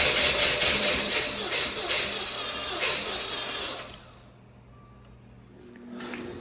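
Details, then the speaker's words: 2014 Dodge Dart 2.4L MultiAir after a used MultiAir brick install, next morning: steady starter churn, about two and a half turns a second, goes on without catching, a long crank with no start. "All right, well, I erased the codes. It's really trying. Yeah, my fear is just that I'm gonna burn the starter up."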